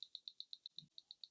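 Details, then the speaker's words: Tandem Mobi insulin pump on what is thought to be its last fill round priming the tubing before insulin drops appear: crisp high ticks about eight a second over near silence; normal priming clicks. "so you can hear that clicking that's the insulin going through the tubing"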